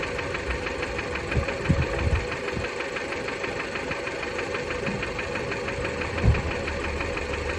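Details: 2007 Fiat Bravo 2 with the 1.4 T-Jet 150 hp at 215,000 km, after maintenance: a light, steady ticking knock runs over a smooth idle and stays even; the knocking source is unclear.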